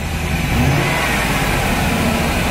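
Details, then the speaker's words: Wheelchair-lift van, cold start after sitting overnight, misfire had gone from random to hard: loud uneven lumpy idle with shaky low rumble, belt squeak; still misfiring. "So let's go ahead and fire this thing up and see what we get. Yep, still missing."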